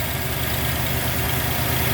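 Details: 1990 Jeep Grand Wagoneer with a new rebuilt AMC 360 V8 and Holley EFI, after restoration: smooth, even idle with a steady low rumble, very low vibration on top and no knocks or ticks; a healthy normal idle.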